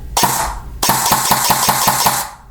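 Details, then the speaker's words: E&L AK12 AEG rebuilt with Arcturus parts, quick-change gearbox with metal bearing spring guide and adjusted motor height, on a 7.4 V battery, semi-auto: crisp, evenly spaced shots, clean motor spin-up each time; gearbox cycling healthily. "that sounds pretty good let's see if I can hit two round burst and then full auto"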